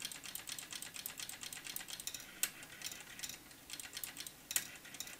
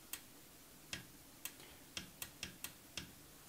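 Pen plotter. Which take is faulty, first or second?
second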